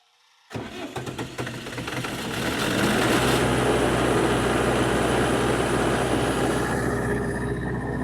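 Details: Generator engine after a home valve job, started with one space heater load: it cranks, catches and drones under load with slight unevenness hinting at misfire; low oil pressure follows, with oil appearing to shoot from what may be the breather.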